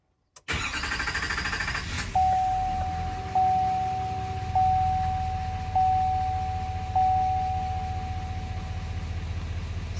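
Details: 2017-2022 L5P Duramax diesel (GMC Sierra/Chevy Silverado 2500/3500) after fuel filter replacement and key-cycle priming: quick crank and catch, then a steady, even diesel idle with a chime ticking; normal start and idle.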